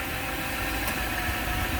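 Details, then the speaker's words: BMW E38 740i manual, V8 with no VANOS, thought to be about 150,000 km, just started and not yet warmed up: steady, even rumble with smooth low firing and a slight hiss on top, no knocks or misses; healthy idle. "I think this one is only 150 something. So definitely very nice sounding, as you can hear, very powerful."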